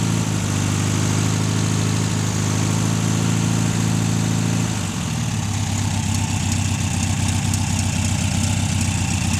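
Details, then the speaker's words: 1600 VW air-cooled flat-four, revived after 10 years exposed to salt spray, running on fast idle for about 10 minutes until its fuel runs out. Steady, even smooth low rumble with no knocks or misses: healthy. "Yeah. Gotta love the old Volksy motors. Been sitting there running on fast idle for about 10 minutes, just waiting on it to run out of fuel. Happy as Larry."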